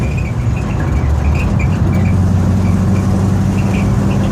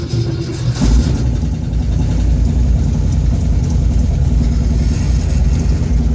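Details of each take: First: Ford F100 shop truck with Edelbrock 1405 carburetor, timing backed way off, idle not adjusted: low steady even idle with no stumble or miss, smooth now; lacks power, needs more timing. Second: Ford F100 with Edelbrock 1405 carburetor after a metering-rod spring change, cold start after sitting two days on a warm day, driving at light throttle: uneven, lumpy note, still missing and stumbling off idle; the change didn't fix it.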